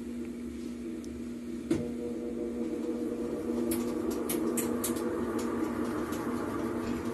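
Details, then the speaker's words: Mabe tower washer-dryer in spin cycle, front panel removed: steady hum with rough gritty rumble and rattles from transmission bearings whose grease was washed out by water getting past them; the customer reports the washer is noisy and leaks water. "ya podemos escuchar el sonido de los baleros los rodamientos indicando de que ya ha pasado agua hacia ello ya le ha quitado totalmente la grasa"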